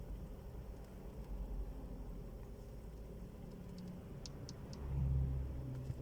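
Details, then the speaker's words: Toyota Camry 40 driving after the steering rack was replaced with a new one: quiet, even road rumble with mild engine swell, no knocks or clunks from the steering; normal. "в общем поменяли все поставили нового вот теперь никаких звуков нету"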